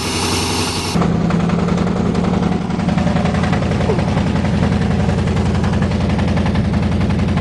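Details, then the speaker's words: 1987 Chevy truck running without air cleaner, cold: loud irregular exhaust popping about twice a second over a rough, shaking engine note; owner says definitely misfiring, cause not yet found; no fuel leaks. "muffler is making a lot of noises amazing no fuel leaks"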